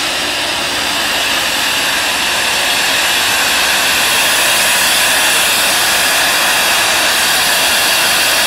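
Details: Ingersoll Rand SSR 40 hp rotary screw air compressor, 30,824 hours, on 460 V three-phase power: steady even rushing hiss with smooth airy hum, no knocks or rattles; running normally.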